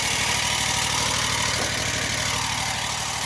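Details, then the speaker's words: 2021 Wright Stander ZK mower, 800 hours, after hydro pulley replacement: steady idle with fast whirring pulse about three per second over hissy top end with blades on; spindles tight, blade drive still whirring, cause unknown. "There's still some sound. Still a whirring of some sort."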